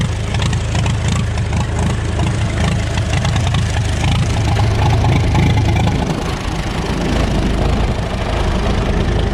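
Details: 1936 Farmall F20 tractor after magneto and carburetor adjustment (carb still due for rebuild): steady, even low chug with no misses, settling into a smooth run.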